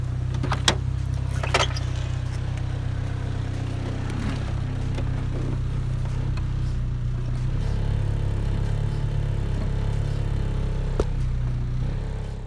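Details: EJ1 after a brake booster vacuum leak repair near the master cylinder, at idle: the rumble stays even while the brake pedal is pressed and there is no hiss, so vacuum is holding. Long-term seal durability is still unconfirmed.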